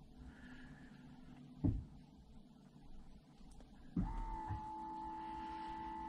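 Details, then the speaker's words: 2015 Lexus NX200t, ABS air-bleed procedure run from an Xtool D5S scan tool: faint clicks, then a very quiet steady electric hum that holds; the ABS pump runs normally through its bleed cycle. "hopefully you heard that pump that it's a very quiet pump but the pump is turning on and it's got nice instructions that walk you straight through the procedure"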